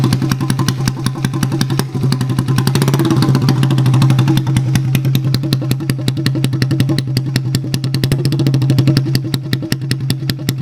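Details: Honda ATC70-based OEM-style restoration, single cylinder with titanium exhaust, engine leaking a little oil internally: quick, even putter at steady idle, no knocks or rattles beyond normal valve tick; normal running.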